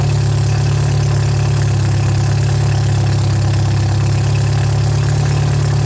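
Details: MGA 1600 roadster four-cylinder under restoration, first start after cooling system refill, choke used, fuel nearly out (new 4 PSI cap, not charging): steady, even low idle with regular beat, no misses or knocks; healthy.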